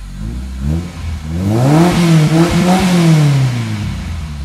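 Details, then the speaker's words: 2001 Toyota Corolla AE112 four-cylinder, first start after gearbox, clutch and rear main seal replacement, revs with a deep full exhaust note rising and falling evenly, no rattles or tinny buzz; exhaust healthy. "it's got a nice it's got a nice bubble at the back it's just got a really nice bass sound this exhaust it's not a tinny you know shitty four-cylinder it cause it sounds good so all good buddy all good"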